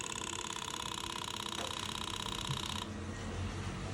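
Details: 1985 Yamaha Vmax unrun for 10 years, with fuel pump in and new hose rigged up, at key-on: steady buzzing whir for about three seconds then settles; fuel pump priming normally.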